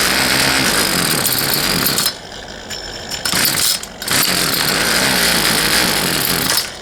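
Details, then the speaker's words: Poulan Pro 222 38cc chainsaw that won't start buzzes high for a couple of seconds, drops off, catches and sputters, never holding a run; fuel lines were found plumbed incorrectly, with the return line previously missing, causing stalling. "all right all right everybody as you saw it wanted to run but it just it wouldn't so did a little digging into it more and some research and realized that whoever plumbed those fuel lines did not Plum them correctly"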